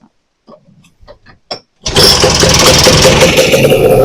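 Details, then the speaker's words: Vintage snowmobile after carb reinstall with new filter, needle and seat and fresh gas: sharp pull attempts, catches and runs rough on prime; fuel-starved, not pumping, problem traced to fuel tank, corroded filter. "We'll try giving her a drink. And she's not pumping. Huh. Try her again."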